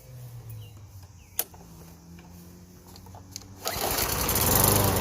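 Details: Push lawn mower that started then stalled, blamed on ethanol gas, after cleaning the plastic carburetor: a few priming clicks, then the engine catches and settles into a strong, even drone without sputtering; running properly.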